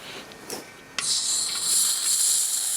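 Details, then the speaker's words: Old fridge with early R22 refrigeration compressor opened up: sharp click, then steady high fizzing hiss like soda as refrigerant bubbles out of the compressor oil; needs vacuuming down before recharging. "See, it's fizzing out of the oil. Sort of hear it bubbling."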